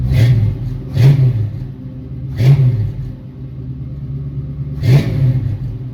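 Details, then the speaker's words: 1966 Ford Mustang with a swapped-in 1990s Ford 302 roller V8 (replacing its dead 289) and a new exhaust: a deep, even idle with clean throttle blips that rise and fall smoothly, no misses or knocks. Normal running. "The 302 motor, tons of power, super smooth. The new exhaust on it sounds great."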